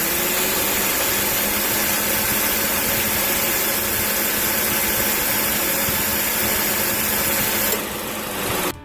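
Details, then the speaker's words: 2016 Mazda 2 Skyactiv, 110,000 km, four years old, idling with A/C on: normal until the compressor clutch engages, then a loud, harsh roar and rattle. Owner suspects a compressor leak or low oil; replacement advised. "kalau bukan bocor sih Ya mungkin lebih ke arah kurang oli atau seperti apa tapi suaranya itu jadi sangat berisik jadi suaranya itu seperti ini"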